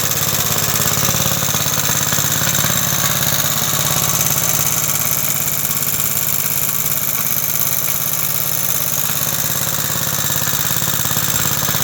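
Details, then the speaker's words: 1960s English-made Suffolk single-cylinder engine, about 66 years old, after a carburettor clean and new plug wire, running: steady beat with a light metallic rattle on each stroke, which the owner places in the starting mechanism. "There is just a rattle somewhere. It is in the starting mechanism and I know there is oil in."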